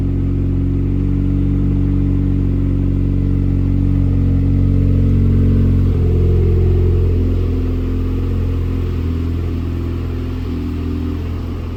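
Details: 2008 Dodge Caliber SRT4 with rebuilt 4B12 2.4 (forged pistons and rods, ACL bearings), first start: steady low drone with rattly clatter of about 3-4 per second; accessory drive noise, owner suspects the air compressor.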